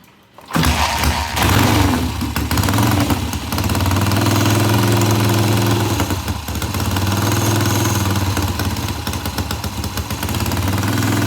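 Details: 1967 Triumph motorcycle after reassembly, with good oil flow confirmed before ignition timing is checked: fires within half a second and runs loud through the open pipe, revs wavering slightly but firing steadily; normal running.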